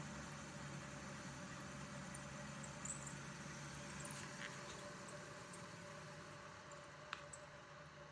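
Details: Air Pro air purifier running: a steady hum with a constant low tone and a faint rough whir on top. Suspected bad fan motor bearing, unconfirmed.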